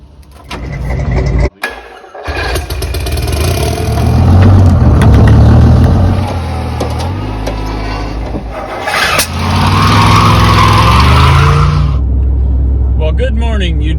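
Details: 1982 Silver Eagle Model 10 tour bus, Detroit 6V92 two-stroke diesel overhauled 10–15 years ago, parked 6–10 years, started on one small battery: stumbling crank, then catches into a loud, uneven run that smooths slightly. Hard start after long storage.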